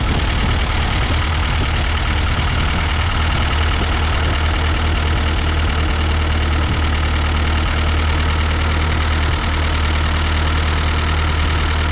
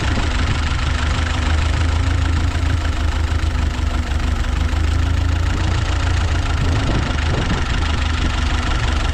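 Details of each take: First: Ford 8N tractor after carburetor rebuild, choke off, not yet warm: steady even low thrum, no knocks, misses or surging; running smoothly, though reluctant to idle and intake leak suspected. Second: Ford 8N tractor started with fuel off: low, uneven idle with occasional skipped beats and lumpy rhythm, not wanting to idle; owner suspects an intake leak, letting it warm up.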